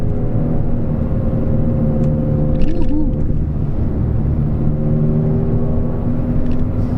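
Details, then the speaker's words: Peugeot 206 after replacing sway bar link, coilover and top mount with new bearing to cure clunking over bumps: steady road rumble while driving, no clunks or knocks; suspension quiet, everything seems good now. "everything seems pretty good for now i don't hear any noises"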